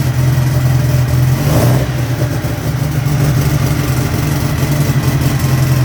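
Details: Turbo air-cooled VW engine on the dyno: loud, steady low drone with a faint turbo hiss; runs even and sounds healthy.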